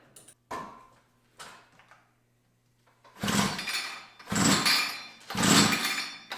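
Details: Tecumseh TC300 two-stroke Eskimo ice auger that won't start, fuel sprayed into the cylinder: three long pulls, the engine spins freely but never fires; a flooded plug is suspected.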